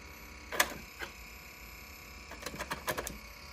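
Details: Atari SF354 floppy drive: two sharp clacks, then a rapid ratcheting burst of about six clicks over a faint hum, an abnormal mechanical noise.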